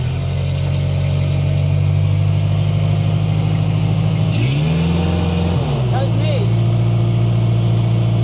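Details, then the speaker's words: 1990s Genie Z45-25 man lift engine, first run after fitting a borrowed ignition coil, cleaning the pump and valve and working on the alternator. Settles into a steady, even run with one brief rev and no misses or knocks. Normal running. "It bloody works. You did it. I can't believe how good is this? It runs perfect."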